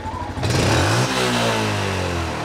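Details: 2013 Yamaha Jupiter MX single-cylinder at full throttle, before tuning and teardown: revs climb, pause briefly about a second in, then pick up again. Throttle hesitation when revving, cause not yet found.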